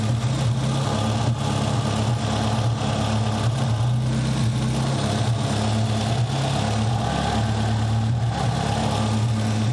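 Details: Nissan 200SX turbo at idle during turbo investigation; low steady idle broken by occasional stumbles, a random misfire, maybe a vacuum leak. Fuel pressure doubted; cause unconfirmed.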